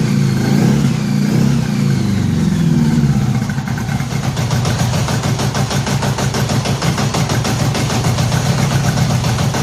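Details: 1983 Honda Gold Wing flat-four after new head gaskets and fresh spark plugs, no coolant yet, moisture still in it. Settles into a steady, fairly even fast idle, running cleaner, though the long-sat carburettors probably still need sorting: rough but improved running.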